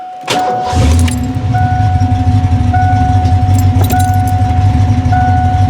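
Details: Mustang with a brand-new engine and new Demon carburetor, first run after rebuild work; keys rattle, then the engine catches and settles into a steady, even idle with a faint chime over it; sounds healthy.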